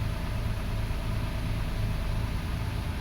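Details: 2005 Toyota Passo on its original ECU, idling after the coil ground fix that cured its intermittent no-start; coil current slightly increased; low, even idle pulse, steady loudness, no skips or stumbles; normal idle.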